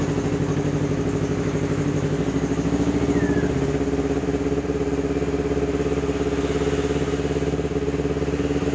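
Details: Kawasaki Ninja 250 carburetor model after replacing its weak original battery with a new one: starts and holds an even, steady idle with a smooth, consistent exhaust pulse and no misses or knocks.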